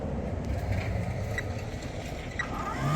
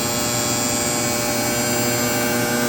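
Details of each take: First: Sparx ES200 skate sharpener (about 2022 build) kept in a vehicle around 50°F, grinding with 5/8 in disc: spindle motor hum climbs then levels off low, never reaches full speed, stalls and throws code 236; owner suspects cold, possibly bad motor. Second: Sparx ES200 skate sharpener (August 2022 build) warmed indoors a couple hours after cold failure with code 236: motor holds steady high-speed whir at full RPM with even hiss of wheel cutting the skate, no bogging or stalling; normal grinding.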